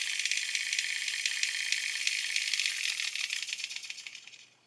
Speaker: And it sounds authentic when it stops.